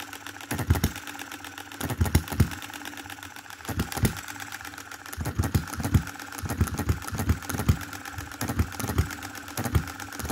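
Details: 2022 Enjomor Chinese hit-and-miss engine after fixes (spare piston ring, corrected valve timing, leaded governor weights, added spring for quicker latching): quick bursts of sharp firing beats, then quiet coasting gaps; clean latching, normal running.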